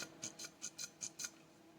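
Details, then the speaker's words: Homelite Super XL chainsaw oil pump during reassembly, tested on a quiet bench: crisp light clicks about five a second, evenly spaced; the plunger strokes cleanly, pushes strongly and sucks in, working properly. "That's a good sign. That means it's working. Doing exactly what it's supposed to."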